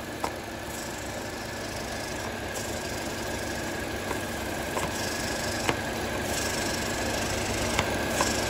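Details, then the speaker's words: 2009 Mini Cooper 1.6L four-cylinder idling rough with random misfires on all cylinders and black soot: steady airy hiss swelling as the oil filler cap is loosened, vacuum leak sucking the cap down. "you guys can hear that hopefully that's showing up on the camera we got a hissing noise there"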